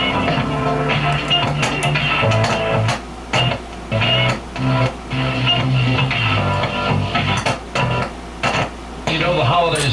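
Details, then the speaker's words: Flea-market Realistic FM-AM Autoportable radio, some internal corrosion, on first power-up checkout. Clear, steady AM station with music coming through cleanly, no crackle, hum or dropouts; the set plays properly on AM. "okay as you can hear it sounds pretty good that was am"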